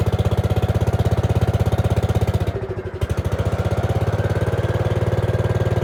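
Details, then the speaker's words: Gravely 5665 freshly fitted with a China carburetor (after a 15hp carb was tried), air cleaner on: an uneven single-cylinder chug of about 140 beats a minute sags, nearly stalls, then recovers. It runs only on choke. "well it's running actually ran right off the bat which was awesome but um as you can see I can't get it to run without the uh um choke on"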